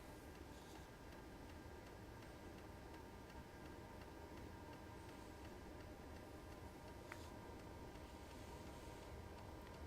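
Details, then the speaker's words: Hcalory TB2 diesel heater after one year of use, at startup while glow plug heats: quiet even clicking of the fuel dosing pump over a low hum, louder at first and speeding up; normal pump clicking. "So now I can hear the pump starting to click. It is a little loud at the beginning. Once it gets going and fires fully up, it quiets right down."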